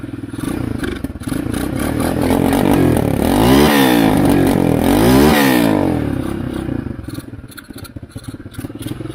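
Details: Chinese ATV that sat unused for 7 years, running on choke: a small single clatters along unevenly, blipped up twice and back down; rough choked cold start after long storage.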